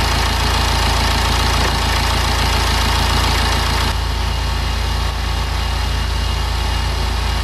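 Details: BMW N47/N57 diesel just started after crankshaft pulley, drive belt, tensioner and idler pulley replacement: even diesel clatter at steady idle, about three beats a second, no misses or hunting; normal idle.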